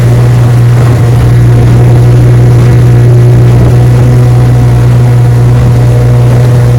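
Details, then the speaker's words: Restored 1971 Evinrude 9.5 HP 9122R two-stroke outboard on lake test run: steady droning note at even speed without stumbles or knocks under wind and water noise; normal healthy running. "Yes, sir. She's a keeper. Idles well. Runs perfect."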